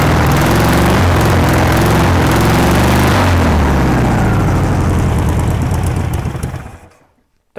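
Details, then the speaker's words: Long-stored air-cooled VW Beetle engine, sat decades, on first run, carburettor not yet cleaned: uneven, lumpy idle that slows, stumbles and dies after about six seconds; rough idle, cause not confirmed. "really want to take over properly but you can't blame it for that I haven't even cleaned the carburetor yet"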